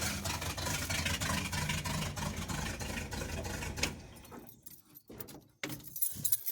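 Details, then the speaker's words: Farm truck with a 355 V8 swapped from a Monte Carlo, quick start-up: lumpy uneven idle with beats dropping out in an irregular stumble; misfiring badly at idle, cause not yet found. "Let's see if it'll fire up real quick. Missing pretty bad. You can hear that."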